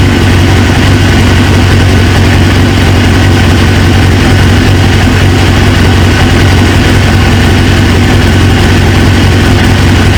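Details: 1999 Suzuki GSX-R 750, newly installed used engine, restarted after reseating a pinched fuel quick-connect O-ring: steady even low burble, no misses, dips or knocks; clean settled idle, owner then suspects an injector O-ring leak.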